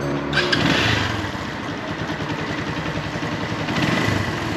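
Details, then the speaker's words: Keeway Cafe Racer 152 motorcycle, cold start in the morning: fast uneven light ticking, about three to four per second, over the idle; owner says it's noisy at startup, mechanic suspects timing chain slack or tensioner. "Tinanong ko sa kanya bakit maingay yung makina natin, lalong lalo na sa start up, no, sa umaga."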